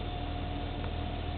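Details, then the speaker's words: 2002 BMW 325Ci E46 idling in park: low steady rumble under a constant airy hiss, louder when braking at stops; engine sometimes stalls on initial throttle; owner suspects MAF, mechanic suspects crankshaft sensor; not confirmed. "i'm gonna see if you can if you guys can perhaps listen to the noise while i stop here at the entrance of my house it's a hissing noise"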